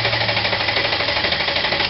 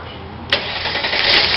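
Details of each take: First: 1998 Mercedes ML320: steady fast cranking for about two seconds that never catches, with no spark. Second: 1998 Mercedes ML320 with crank-no-start, no-spark fault: with power supply bypassed, engine fires at once and settles into steady run. Normal start.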